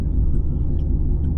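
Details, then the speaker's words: Lexus RC F driving about 20 mph: low steady droning hum from the rear pulsing with wheel speed; definitely rear and rotational, hub bearings or tyres suspected. "It's definitely coming from the back. Yeah, it's the back, right? It's 100% a rotational sound."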